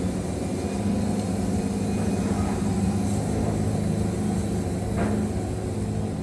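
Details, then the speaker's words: Wood-Mizer LT70 Super sawmill motor bogging hard cutting hickory: loud, deep, steady drone as it pulls down through a tough cut, yet holds on with no blade dip; engine labouring under heavy load. "I hope you guys can hear how how far down I'm bogging that motor but what what you'll notice is I'm bogging that thing down but I'm not getting any blade dip or anything like that"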